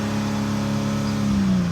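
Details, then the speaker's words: 2005 Mercedes ML350 with a crank-no-start caused by a fuse/relay box wetted by a sunroof leak, now running after the fix; steady smooth idle with an even low drone; normal idle. "I mean, it's running like a charm."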